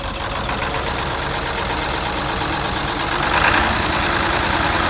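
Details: International T444E diesel after roadside repair of a broken piston, running without the #4 piston, injectors just reinstalled; rough, lopsided idle with an uneven beat that swells under throttle: one dead cylinder.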